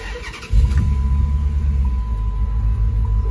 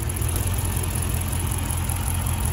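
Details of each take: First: Dodge Charger R/T after replacing the bad coil pack, started and idling with AC on: quick catch, then a steady, even idle with no stumble; the heavy shaking is gone, only a slight tremble. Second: Dodge Charger R/T at idle during a coil-unplugging test: uneven, lumpy idle with a stumble every few turns; coil pack number six confirmed bad.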